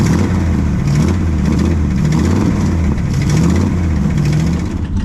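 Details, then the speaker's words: Classic Mopar V8 drag car at idle with throttle blips: a loud, lumpy idle with a raspy puffing edge, newly audible, from a leaking exhaust sleeve, i.e. an exhaust leak. "also we discovered that uh we have an exhaust sleeve you can probably hear that yeah we can hear it now yeah you couldn't hear it before but you can hear it now"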